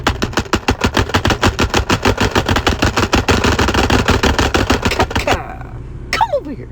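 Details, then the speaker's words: Diesel truck engine with fast, sharp rhythmic clacking: a broken cooling fan blade striking because the fan hub is loose; the fan also cut the coolant hose. "And the reason it's cut and the kaka noise, check out this fan blade. It's all broken. The reason it's broken is cuz the fan hub is loose."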